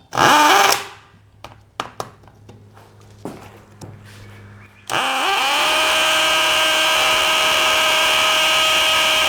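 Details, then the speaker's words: DeWALT DCD999N cordless brushless hammer drill with a large, long bit in speed 3, hammer drilling 20+ cm thick K250 concrete: after handling knocks it reaches a steady high whine with rapid hammering rattle, with strongly felt impact. Normal hammer drilling. "uh dari suaranya aja itu impactnya sangat-sangat Berasa ya"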